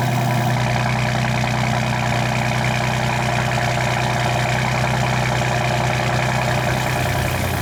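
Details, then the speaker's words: Ford F-150 with 6R80/10R80 transmission, after transmission filter, fluid change and Lucas anti-shudder additive, settled idle after cold start with exhaust in loud Baja mode; deep steady even rumble, no knocks or misses. Normal idle. "All right, so things have settled down a bit. It's still loud here, even at idle. This is in Baja mode."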